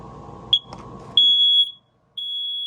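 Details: Smoke alarm that had been chirping, tested after a new 9-volt battery and a reset by holding the test button 15 seconds. High piercing beeps, about half a second each, in a steady on-off pattern after a click: sounding normally.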